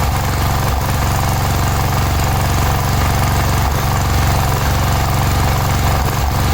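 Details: Cub Cadet 1106 riding lawn tractor (1987; listed as 1986), sat over 4 years, bottom carburetor adjustment screw ineffective: steady low thrum stumbling and dipping every second or two, then recovering. Rough running.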